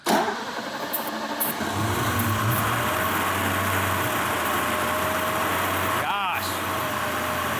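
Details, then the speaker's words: 1980s manual Mercedes G-Wagon that sat for a very long time, first start on starting fluid: engine catches and settles into a steady, even idle with no lifter tick or knock. Normal, healthy idle. "that sounds great. Wow. Like there's no lift or tick, nothing. This is amazing."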